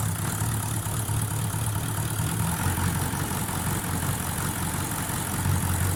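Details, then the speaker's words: 1VD-FTV diesel after full rebuild, car assembled and fully warmed up, undergoing a registration procedure; low, smooth, steady diesel rumble at idle with no knocking or uneven beats; healthy. "Автомобиль собран, полностью прогрет. Проходит процедуру прописки"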